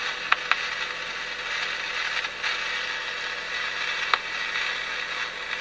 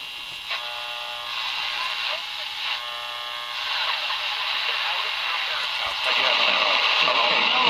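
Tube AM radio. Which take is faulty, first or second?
first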